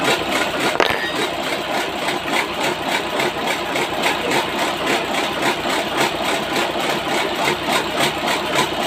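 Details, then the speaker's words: Engine test-started after a piston replacement: fast, regular light tapping over the idle from inside the engine, not from the outside part first suspected. Source not yet pinned down. "Wah, bukan kan dari sini. Dari dalam bunyi ya."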